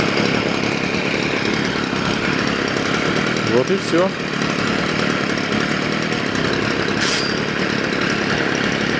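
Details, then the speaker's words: Stihl FS 55 trimmer that started then died and wouldn't rev, after a carburetor rebuild: a steady, high two-stroke buzz with an even note and no surging or cutting out; fuel now appears up top and it runs steadier as it warms. "работает и здесь сверху стал бензин появляться до этого его не было он пропал вот сейчас она прогревается по устойчивее немножко работает"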